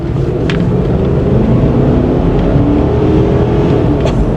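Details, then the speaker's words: 1998 Ford Explorer XLT, 5.0 L V8, all-wheel drive, accelerating on the highway over bumps, transmission fluid checked bright pink: steady engine drone builds evenly with no slip, flare or clunk; transmission shifts smooth. "transmission shifts smooth remember we checked the trans fluid oil and everything"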